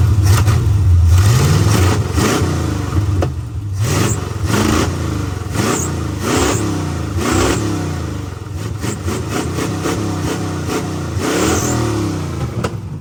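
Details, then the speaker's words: 1986 Chevrolet Camaro Berlinetta with open headers, first start after sitting, barely started: uneven blips with lumpy, stumbling pulses and clatter under each rev; running rough, cause not yet identified. "but like I was saying uh it's not exactly running how it should you can hear it doesn't sound the"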